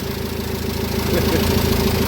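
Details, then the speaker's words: Citroen Jumper 2.2 diesel idling after its oil pump, which failed from debris in the oil and lit the oil light, was replaced with fresh 7 L 5W-30 and a new filter: even clatter, no misses, running like clockwork. "bu aracımızı çalıştırdık bu motor saat gibi çalışıyor"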